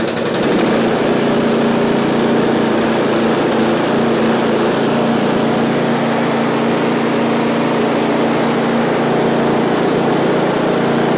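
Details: One-year-old Husqvarna ST224 snowblower, left with fuel over winter, after a carburetor and fuel-system clean: started at full throttle with choke on after three primes, holding a steady, even high-pitched buzz with no hunting or surging; running normally.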